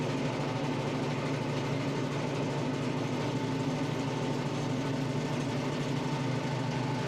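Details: Tractor engine driving a Baumalight 3P38 three-point PTO stump grinder through a roughly 30-inch stump; even steady drone with no dips, bogging or stalling, pulling the load cleanly; normal running under load.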